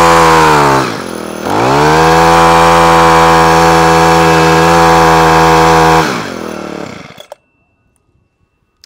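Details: Honda HHH25 four-stroke single-blade hedge trimmer after carburetor clean and new diaphragm (previously cut out at full revs): clean, steady high rev held several seconds without stumbling, then shut down. Normal full revs.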